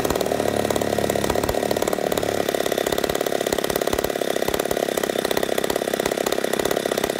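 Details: Poulan 71A chainsaw after carb work, replacing stiff old diaphragms, long sat unused: steady high-pitched two-stroke buzz holding an even note, no stumble or surge; runs clean, owner suspects slight intake leak from crank seals.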